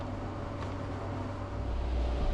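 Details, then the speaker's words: Air conditioner in a mobile home, 65 degrees inside: steady rushing air roar with low hum, swelling slightly, as the handler sucks air; restricted airflow because all supply vents were closed off. "like it's sucking air. Alright, that's completely closed off. Yeah, all the vents in here, they're closed."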